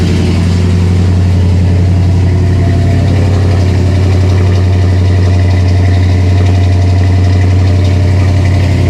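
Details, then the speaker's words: Pontiac LeMans with suspected intermittent over-fueling (Carter fuel pump), cold start on choke after one pedal pump: steady even low rumble, no misses or knocks, smooth idle; running pretty much normal. "All right. So, the choke's on. Seems to be running pretty much normal."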